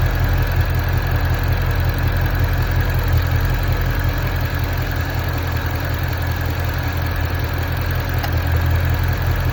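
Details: Ford Mustang GT350 V8 at steady idle with a faint rhythmic tick, about 160 a minute, over the deep rumble; unidentified idle noise, source unclear.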